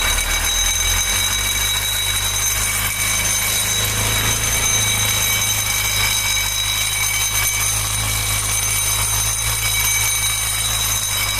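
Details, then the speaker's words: Honda Bros 150 idling with a steady, high bell-like ringing, like a gas-delivery bike's bell; engine opened shows the crankshaft end damaged and misaligned, letting the kick-start gear vibrate. "Olha que barulho estranho, velho. Parece aquelas motos lá que os caras entregam gás com aquele sino lá."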